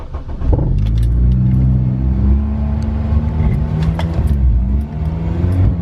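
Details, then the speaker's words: Honda EP3 Civic with code P1519 idle air control valve circuit malfunction; stationary idle revs rise and fall unevenly every second or two, less so when driving; faulty IACV or its wiring. "so yeah this is what happens every time the car is at idle when I'm not moving when I'm actually driving it it doesn't seem to be that bad it kind of drives as normal but still kind of fluctuates between revs"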